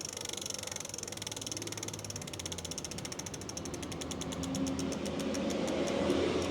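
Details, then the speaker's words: Lectric XP 750 W folding eBike hub motor after parts replacement, throttle test: crisp ratchet clicking about four clicks a second with no motor hum; normal freewheel. "Yep, sounds good so far. One more time. Yep, and I do not hear a humming. It sounds like it's freewheeling just fine right now."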